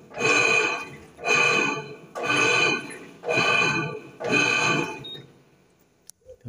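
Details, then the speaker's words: Electrolux 10.5 kg washing machine, filled with water, agitating: loud whining growl swells with each agitator stroke, about one a second; noise also in spin, worn motor or mechanism bearing suspected. "vocês percebem, pessoal, que é um barulho bem alto, né? Então acaba incomodando bastante."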